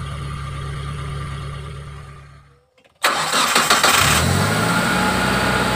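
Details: Injected T120SS after repair of fouling spark plugs, high fuel use and white exhaust smoke and an engine teardown, test start: catches cleanly after a quiet spell and settles into a steady, even idle with no knocks or misses.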